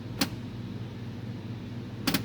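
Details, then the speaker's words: JVC D-ILA DLA-RS15-U projector plugged in: over faint hum, sharp mechanical click repeats about every two seconds as the lens door tries to open and sticks; no light, no power-on. "look like the door is trying to open and stuck"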